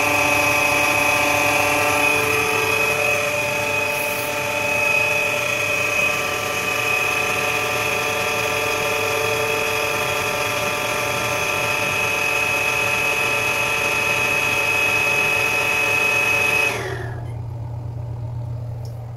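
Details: Shimizu 268 BIT jet pump, mounted too low and its base buried in cement: loud steady high whine and rough hum before repair; noisy dynamo, worn motor bearings; switches off near end.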